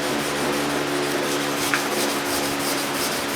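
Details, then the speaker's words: 1985 Chevy K10 fender or cowl being wet sanded with an 800-grit wet/dry paper, sponge and water: rhythmic rubbing strokes with a thin steady screech from grit (trash) trapped under the sandpaper dragging on the paint. "Got some trash in there. You can see the paint. It didn't clear. Hear that screeching. That's from that trash right"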